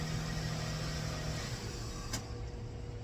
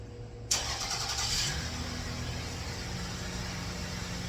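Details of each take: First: 2004 Toyota Avalon cold start after the timing was reset (it had been a tooth off) amid O2 sensor wiring repairs: the engine sounds good but runs a little rough with a slightly uneven beat; owner bets it is not the O2 sensor. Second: 2004 Toyota Avalon cold start after timing work (previously one tooth off) and O2 sensor wiring repair: quick catch, brief flare, then a steady, even idle, slightly rough; judged good, with O2 sensors still reading no voltage.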